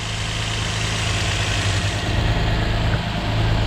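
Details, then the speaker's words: 2004 Infiniti G35X VQ35DE V6 petrol engine idling with a steady low hum after PCV valve replacement, not yet fully warm; previous hissing sound now gone, nice and quiet. "She's nice and quiet. JDM motor. Should last me a while."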